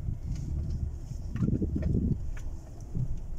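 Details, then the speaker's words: 2016 Ford Expedition in 4WD low, after rear limited-slip differential oil change with friction modifier for turning chatter: slow turn gives a low, even rumble with no chatter or clunks; differential sounds normal. "طبعا لاحظوا الآن ما شاء الله تبارك الله ولا في أي شيء، طبيعي جدا."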